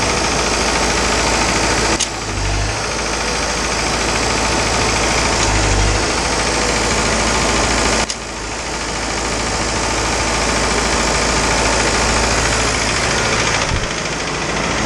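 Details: Isuzu 4BD2T diesel at initial startup, after priming the air out of the fuel system: a steady, even idle clatter at about three and a half beats a second; healthy.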